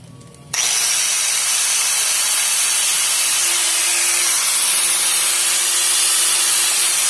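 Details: Angle grinder after armature replacement and bearing greasing; steady high-pitched whir comes up quickly to full speed and holds evenly, no rattle or grinding; runs smoothly.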